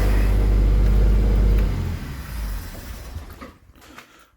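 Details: Triumph 2000 twin-carb barn find, running only on choke; deep, lumpy rumble for under two seconds then sags and dies from fuel starvation; owner suspects a blocked carburetor jet.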